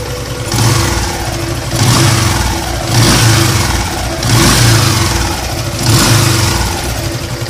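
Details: Yamaha LC135 motorcycle engine blipped five times over idle with a coarse droning hum under each rev; rough droning noise from worn crankshaft.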